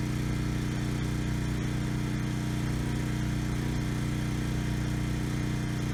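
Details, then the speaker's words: Briggs and Stratton Storm Responder generator after its clogged main jet from untreated gas was fixed: starts first pull and runs smooth and steady at good speed, no hunting or surging; only needs a new fuel petcock. "Okay, good. Started first pull. The engine sounds good. No hunting or surging. Engine speed is good."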